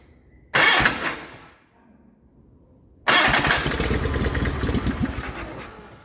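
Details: 1989 John Deere 420 garden tractor on auxiliary fuel tank after sitting: fires, runs about a second and fades; second start runs a few seconds then sags; owner suspects losing suction pressure through an open pump outlet.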